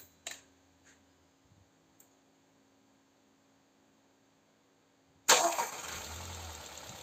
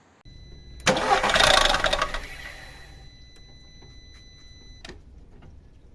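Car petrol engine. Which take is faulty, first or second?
second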